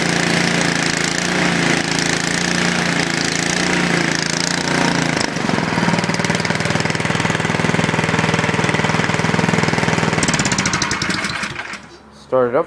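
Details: Snowblower cold start after sitting unused; fires and settles into a steady fast chatter with even firing pulses, running normally.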